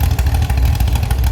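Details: Chevy SS straight-six restoration engine with a non-original cam, running after the fuel level was lowered: short burst of deep, even beat with clean throttle response, no knocks or misses; healthy.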